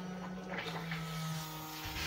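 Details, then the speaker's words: Honda K24-swapped Toyota AE86 Corolla during its first start attempt with no coolant: the electric fuel pump primes fuel with a steady, even hum, no surging or rattle. It soon empties the small fuel supply. Normal fuel pump operation. "yeah we got fuel well she's pumping good"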